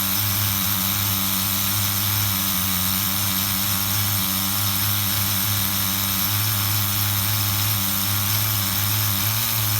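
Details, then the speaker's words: HPI RS4 Nitro RC F150 pickup on 16% nitro fuel after retune: small nitro engine holding steady high buzzing idle, no hunting or lifting; normal idle. "How does that idle sound? I think we got all our issues sorted out."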